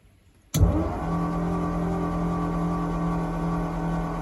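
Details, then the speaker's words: 1940 Ford coupe hot rod that sat over 20 years, cranked out of gear with all spark plugs removed on an old battery. The starter spins the engine at a quick, steady, even rhythm with no binding: normal cranking. "There you go, it's turning over. Gonna suck the juice out of that old battery. But it's cranking."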